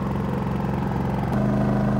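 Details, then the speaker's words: RV generator idling down into eco mode powering a 30 A trailer with air conditioner on through a soft starter: drone settles into steadier, smoother hum with hardly any change under load; normal. "so now our camper is running on our generator so now the air conditioner is on and we're in eco mode and you can see there was hardly any change at all"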